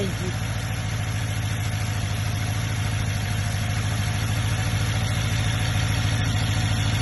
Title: BMW engine noise cold start